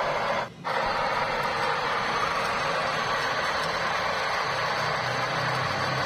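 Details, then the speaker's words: Suzuki Ignis with a rough engine rumble at start-up, the same cold or warm, and AC not cooling well. A steady coarse whooshing rumble at idle, heard from under the front of the car; the source is the AC compressor. "kita dengarkan dengan sesama ternyata ada sumber suara lebih dominan pada kompresor AC ya [Musik] ini Terdengar sangat jelas di area depan kendaraan bagian bawah ya"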